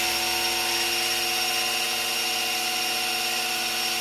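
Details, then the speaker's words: Freshly rebuilt 1967 Camaro SS 350 small-block, oil pump primed by a drill and priming tool with a standard-volume pump: a steady, even drill whine as oil pressure builds on a temporary mechanical gauge; normal priming. "We gotta fill the oil filter up. I can already feel it. Ooh, listen to that. We got oil pressure."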